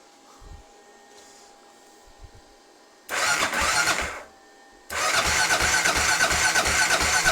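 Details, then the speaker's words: 1993 Kawasaki KLR650 after head gasket, timing chain and bottom-end rebuild, cranked in neutral with fuel off to prime oil: two bursts of steady starter churning about three turns a second, no firing; normal. "Sounds good. I'm just gonna give it some gentle priming. Just let some oil go through it."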